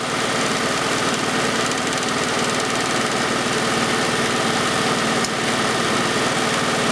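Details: 1991 Oldsmobile Cutlass Calais 2.3L Quad 4 DOHC idling while injectors one and four are tested: uneven, lumpy idle with a rough stumbling pulse, a cylinder misfiring, traced to a shorted injector.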